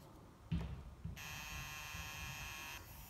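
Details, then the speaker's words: Inca 20.1-inch LCD monitor at power-on: a click, then a harsh high electrical buzz under two seconds before it shuts itself off, standby light turning red; power supply fault, probably failed capacitors. "Çünkü sesten de anlayabiliriz. Orada zzz diye ses çıkarttı. Bu sesin sebebi muhtemelen kondansatör arızasıydı."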